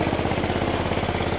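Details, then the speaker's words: Honda Forza 125 scooter first start after starter-alternator replacement, engine warning light on; fast sharp puffing chuff at idle from an exhaust leak, a large hole at the O2 sensor. "And, uh, sounds like he's got an exhaust leak. Maybe not. Yeah, he's got an exhaust leak."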